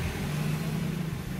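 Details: 2013 Kia Sportage 3 after replacing the AC compressor solenoid control valve for intermittent cooling: steady even idle with the compressor humming smoothly, no cycling clicks or rattles. AC now cold. Normal AC operation at idle.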